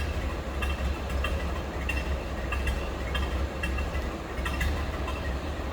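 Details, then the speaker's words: 1930 Ford Model A 5-window coupe, just started and barely warmed, heard from behind the car: soft, slow, even chuffing at a low quiet idle with light regular ticks and no knocks; healthy. "Like I said, it is quiet. It's a low idle."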